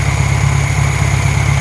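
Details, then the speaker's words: Hot restart of a new 1600cc air-cooled flat-four in a 1968 VW Karmann Ghia after its second break-in period: steady low thrum with even pulses, no obvious misfire; normal smooth idle. "nice and smooth stuff seating"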